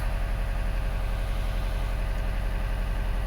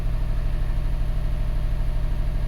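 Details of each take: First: 2012 Subaru Forester SH, EJ255 turbo, after coil connector pin repair following a misfire: steady, even low idle with regular beat, no skips or stumbles; misfire gone, normal idle. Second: 2012 Subaru Forester SH, EJ255 turbo, flashing check engine light after blown oil hose: low lumpy idle heard at the exhaust with an uneven chuff every few beats; single-cylinder misfire.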